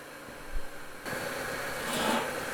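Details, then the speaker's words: Makeshift forced-air charcoal furnace case hardening steel knurling tool parts, fire brick saturated and at peak efficiency with flames coming out: steady dull hissing roar builds about a second in and holds even; normal. "you got Flames coming out it's making sort of a dull roaring noise"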